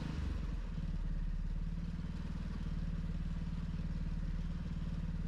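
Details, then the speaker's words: Small off-grid generator engine after a new spark plug, thawing out and an oil change to lighter oil that got pulled into the carburetor: even, steady low chug with no misses or clatter. Runs smoothly and powers a load. "I think it's running smooth anyways. Let's plug something in. Works."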